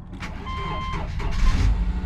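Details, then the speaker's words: 2008 Subaru Outback, about 180,000 miles, after catalytic converter replacement: cranks and catches quickly, then settles into a steady, even idle with no rattle from underneath and no check engine light; normal start and idle. "she fires right up oh beautiful no check engine lights"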